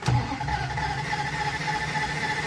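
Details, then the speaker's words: 1989 Dodge Ramcharger 2WD that sat about 14 years, battery terminals redone: cranks briskly and evenly with no firing at all; cranks but won't start because the fuel system isn't yet hooked up. "oh yeah she cranks real good she's cranking real fast too i hope she's got compression but"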